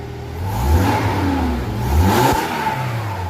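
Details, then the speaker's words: Toyota Hilux 2.7 VVT-i petrol, revved after replacing the in-tank fuel pump/sender unit (dead fuel gauge, reserve light on) and correcting reversed pump polarity: engine picks up cleanly through two smooth revs and drops back without stumble; normal revving. "Right, powering there. Okay, problem solved."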